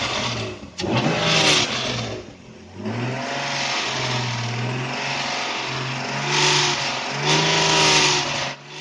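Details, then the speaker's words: Naturally aspirated tuned BMW E36 on a dyno: engine revs with rising, falling tone and rough ragged edge; only 230 hp, dip in torque and load curves, airmass down over 30 kg/h versus earlier logs; engine fault suspected, cause not identified. "Something has clearly gone wrong in the engine. Especially when it sounds like this."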